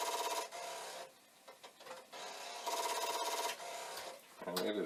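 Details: Commodore 1541 disk drive, set as device 8 after a reset: rough rasping bursts about three a second with a ringing buzz, stopping and restarting; the drive head is chattering against its stop.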